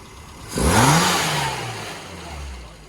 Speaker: So that is now running exactly as I'd expect it to. So at any point in the rev range, that's fine.